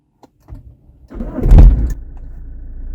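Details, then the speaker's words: Push-button-start car: short crank, then a loud low surge settling into a rough throbbing idle; unusual start-up noise, owner suspects a damaged front engine mount or possibly a fuel injection problem. "तो यह सिर्फ काफी unusual सा sound है मेरे दो possibilities लग रहे हैं मुझे एक तो माउंट का पॉसिबिलिटी लग रहा है"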